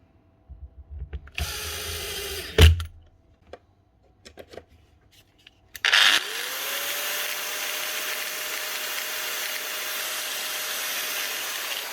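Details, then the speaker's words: Old, well-used angle grinder after fitting new cut-to-size bolts and tightening the gear head: steady high whine with a coarse rough buzz underneath that persists; damaged gears or a bearing suspected, not confirmed. "that's something else wrong there could be gears or could be a bearing"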